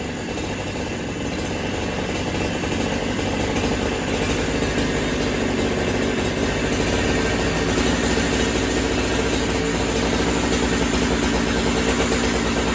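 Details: Holzfforma Farmertec 372 kit chainsaw, two-stroke, with a known problematic carb; runs rough and uneven, beat wandering, boggier than yesterday, owner suspects cold; low-speed carb side needs adjusting: bogging from low-speed carburettor mixture.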